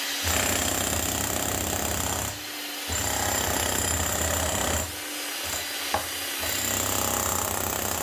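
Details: Bosch GSH 11 E 240 V hammer after repair with an aftermarket AliExpress copy armature and fresh grease: strong, rapid, even blows with a crisp slap at each stroke and no grinding or stalling; hammer mechanism working properly.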